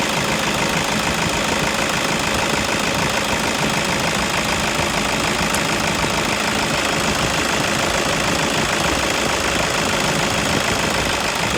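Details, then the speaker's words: Toyota Innova at idle with a customer complaint of tick-tick noise: fast light ticking, about three per second, traced to the alternator pulley. "ഡൈനാമിന്റെ പുള്ളി നിന്നാണ് ആ sound വരുന്നത്"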